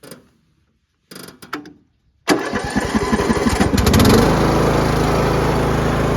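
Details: Troy-Bilt Pony riding mower after replacing the deck spindles and blades, which had mulched poorly and made bad noises under load; a few pulls, then the engine catches and settles into an even, steady drone with the blades spinning smoothly; healthy.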